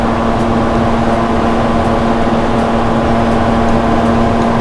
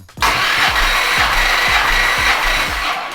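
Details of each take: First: 1970 Plymouth GTX 440 on a dyno before its rebuild, timing backed to about 34 degrees: steady loud drone with a faint light tick about twice a second; an unusual noise whose source isn't found, nothing loose seen. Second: 1970 Plymouth GTX 440 V8, old engine before rebuild, warm, full throttle, all 8 plugs out, compression test: even starter whirr with steady rhythmic pulses, no misses; reading about 130-150 psi; normal cranking compression.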